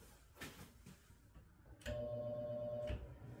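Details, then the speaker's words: Three-phase motor fed single-phase power with no converter, capacitor not yet in circuit: power bumped on, a steady electrical buzz for about a second, no run-up, shaft just balances without picking a rotation; single-phasing hum, motor fails to start. "I'll bump it that away could you hear that it went it just kind of it just buzzes and it doesn't pick a rotation the shaft just kinds of balances"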